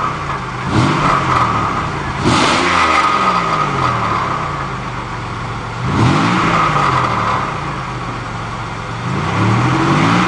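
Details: Buick Century, rear exhaust: raspy, loud blare rising and falling with each rev blip; exhaust leak suspected, not confirmed.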